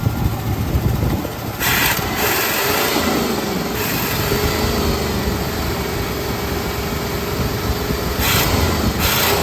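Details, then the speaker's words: 1975 Lincoln Continental V8, carburetor untouched, running again after cooling system work, #2 cylinder possibly not firing, vacuum leaks present: slightly lumpy, uneven idle with a sharp ticking puff. Uneven idle with exhaust leak. "It's got a little bit of unevenness to it. Pumping some water. Fan's moving from there too. Alright, I think that's good. We're gonna definitely have to address this exhaust leak over here. It's annoying."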